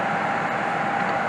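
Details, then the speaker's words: HVAC unit with failed control board, blower motor temporarily wired to get constant 240 V for cooling until a replacement board is fitted: steady even rushing airflow with constant mid-pitched motor hum, no scraping or wobble, normal blower operation. "[Applause] and as you can probably hear we have blower"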